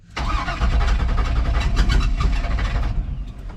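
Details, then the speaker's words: Chevrolet C10 in cold winter weather, hood open, battery suspected dead and running batteries down: uneven lumpy idle rather than a steady drone; owner thinks it's not hitting on all cylinders, cause unconfirmed. "I think you can hear that uh definitely seems as if it's not hitting on all cylinders not a lot of room to spare here"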